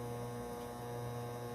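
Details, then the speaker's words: 12V 1200W Magnum Energy MagnaSine inverter charger on four LiFePO4 cells (14V, 75Ah) during washing machine spin at 1.2 kW: loud steady low hum with a buzzy edge as the inverter hits its maximum load. "it max out the inverter really interesting right you can do anything with solar"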